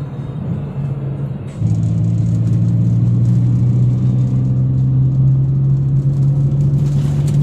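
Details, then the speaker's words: Perodua Viva cabin after sound-deadening foam mat, double-sided foam tape and rubber fitted in doors to cure sand-like ticking rattles: smooth steady low road and engine drone, no buzzing or ticking from door panels, radio clearer; quiet, rattle-free after repair. "Baiklah selepas semua yang dilakukan tadi saya dapat rasakan ruangan di dalam kabin ini bertambah senyap suara radio semakin jelas dan Tiada lagi bunyi-bunyi yang mengganggu seperti ini"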